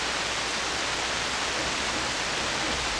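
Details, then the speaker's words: SP-600 communications receiver with rebuilt RF deck just installed, first power-up at reduced 92 V supply: constant, even hiss with no station or tone; seems to work but no signals. "Not much. It's very hissy. Well, it seems like it's working. Maybe there's no signals."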